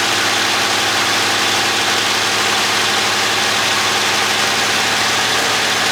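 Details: 1963 Buick Special, started with the key after several days sitting, coil hot-wired: smooth steady idle with a constant even beat, no knocks or misses; running cleanly.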